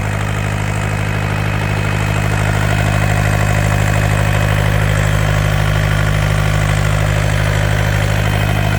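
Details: Yanmar TK486 4-cylinder diesel on a stand, no coolant or radiator: even, steady low clatter at idle, every firing pulse alike with no misses or stumbles; all four cylinders healthy.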